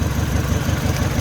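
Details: Mini Cooper idling rough after cylinder head refit: uneven, lopsided chug from one dead cylinder. Unplugging components to find the missing cylinder; suspect number one, could be injector, coil, spark plug or cylinder, so injector one swapped to four.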